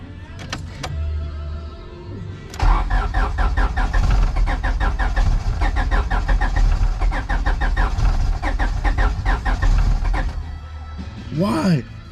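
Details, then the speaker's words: Turbo H2B car after installing a new aftermarket distributor, on a jumper battery: starter cranks steadily for about eight seconds but the engine never catches. "why won't it start oh my god it's almost"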